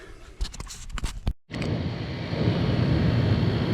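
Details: Camper roof air conditioner after replacing the fan motor and capacitor (it had only clicked and moved no air): some clatter, then fan and compressor kick on with a steady, even rush. Runs smoothly after repair.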